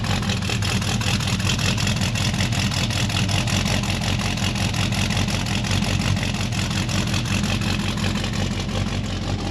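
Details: 1972 AMC Javelin AMX, carbureted engine with a big stainless 3-inch exhaust, idling after a cold start: deep, steady, lopey rumble with even firing pulses and no knocks or misses; sounds healthy.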